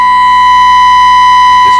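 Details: 1929 Victor RE-45 radio fed a signal-generator tone near 700 kHz with the volume at about 80–90%: a harsh, buzzy tone with gritty overtones, distorting at high volume.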